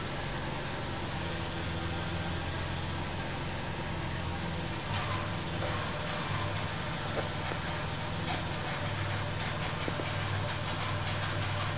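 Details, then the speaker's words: Van 44,000–46,000 km with oil change overdue since 39,000 km, after sitting: steady idle with a constant low drone, a faint whine and a few light ticks; owner blames the overdue oil change, cause unconfirmed. "that's what it sounds like when you don't change your oil it sounds whiny don't sound too good does it"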